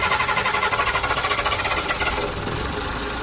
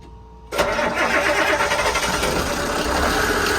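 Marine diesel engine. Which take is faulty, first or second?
second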